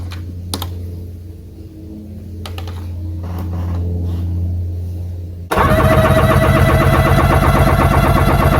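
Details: 1996 Sea-Doo GTX after engine rebuild, compression test on PTO cylinder: after handling clicks the starter spins engine in fast even beats with no skips; normal cranking.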